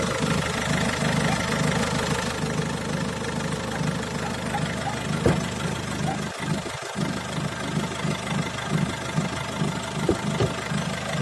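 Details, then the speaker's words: Peugeot 308 1.6 HDi diesel idle with a loose, uneven light rattle riding over the clatter. The owner attributes it to the intake bellows (boot) rattling. "Ce se aude pe aici e un zdrângănit de la burduful ăsta de admisie."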